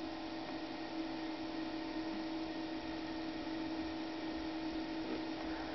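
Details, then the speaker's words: Falk GroundStar plasma globe with repaired original power supply (original flyback, added 30 kV cord) being fired up; steady even whir with constant mid tone, no rattle or wobble, cooling fan spinning normally. "But anyway, we're ready to fire this bad boy up, and we'll see how this works. Hear the fan kicking on."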